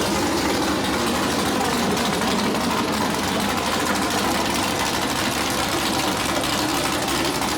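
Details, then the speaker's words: Freshly built 408 LS stroker V8, first oil change clean with no metal shavings: loud, dense, steady, deafening roar with no misses, knocks or surging; starts right up and runs healthy. "all right motor build is complete turned out a lot better than I expected starts right up sounds like an absolute Beast I mean it's deafening"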